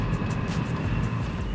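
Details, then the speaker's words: Free Vevor diesel heater after repair, start-up following a slow warm-up: burner lights into a low rumbling roar with fluttering pulse and faint steady fan tone, running up normally. "yeah there it goes now she's kicking up good woo I can smell it"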